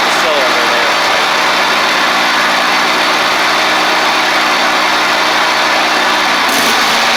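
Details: Ferris stand-on mower, Briggs OHV twin, after repair: loose intake pushrod guide bolt causing a one-cylinder misfire; steady, even drone at constant pitch with no skipped beats; running normally on both cylinders.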